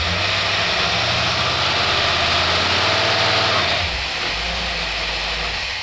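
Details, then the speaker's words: Holley 50461 two-barrel marine boat carburetor, electric choke, about 350 CFM, with fuel pump return tube, tested on a running engine: steady, even idle under a hissy wash with no misses or stumbles, running smoothly. "good this is a smaller CFM it's not the big 500 CFM Holley to barrel this is a like a 350 area Holley to barrel and bow carburetor marine"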